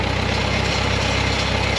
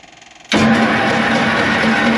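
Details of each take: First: Bantam T35 crane's 4-cylinder gasoline LeRoi engine on a 1945 GMC 6x6, sat over eight years, electric fuel pump off, running out the carburetor bowl: steady, even low idle with smooth exhaust pulse, no misses or knocks; normal idle. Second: Leroi 4-cylinder gas engine on Bantam T35 crane (1945 GMC 6x6), sitting over 8 years, choked: steady starter churn six seconds without firing, gas leaking out of exhaust; flooded engine, cranks but won't start.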